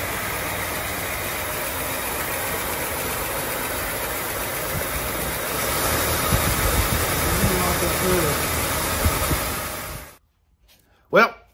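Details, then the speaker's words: 1939 Cadillac, low mileage, engine overhauled in 1981 and unused for four decades, first run after reinstalling engine and transmission, no radiator or cooling system connected: steady, even beat for about ten seconds, no knocking or missing; normal running. "she's alive sounds good pretty excited about it"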